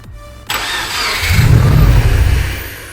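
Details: Subaru WRX, first start attempt after full rebuild of knocking engine: starter turns engine over unevenly but it never catches; battery suspected, having earlier not made contact.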